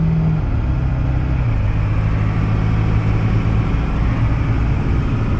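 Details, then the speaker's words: Pickup truck with a turbo diesel and air conditioning, towing a McCormick-Deering 10-20 tractor: a deep, steady drone pulling hard with a faint turbo note, gaining speed under load. Healthy turbo spool. "Now we are here with a truck with a turbo and air conditioning, and listen to that turbo. And we're actually gaining speed."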